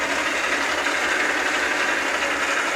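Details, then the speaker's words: South Bend lathe nylon gear train on pumped 600-weight oil: soft even whirring mesh, no knocks or clatter; quieter each pump, owner considering STP; quiet normal gear train. "it's working good now though every time I pump it it makes it quieter maybe I need to try something like STP"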